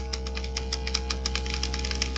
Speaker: If the pop filter is not working, then you can hear the buzzing of the paint shaker thing, and that rattling sound is just a little metal ball in the paint container that is there to beat up on the pigment,